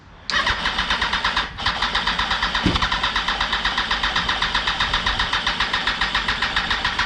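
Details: 2004 Yamaha R1 unstarted for over 10 years, after draining old fuel, adding fresh fuel and priming the fuel pump: steady starter churning about four beats a second, never catching; cranks but won't fire, cause unknown.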